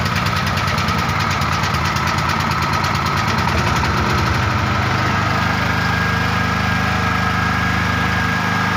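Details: Genset running unloaded during a mains (PLN) power cut, waiting for voltage to reach 220 V; steady even drone with a constant hum, no knocks or surging. Normal generator idle.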